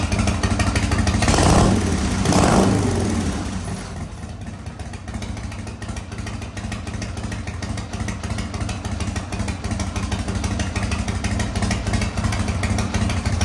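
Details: 1985 Harley-Davidson FXRS with Evo V-twin, first run after sitting 5 years, on fresh regular gas: loud revving bursts, then a steady, even, lumpy idle with no knocks or misses; normal running.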